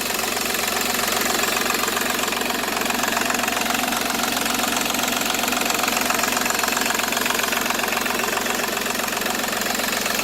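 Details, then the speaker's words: Seat Ibiza 1.4 TDI three-cylinder turbo diesel with 205,000 km at idle: steady even clatter with regular firing, no stumbles or odd knocks; runs like a new engine. "Vedete, questo è un motore che ha 205.000 km, ma veramente gira come un motore nuovo."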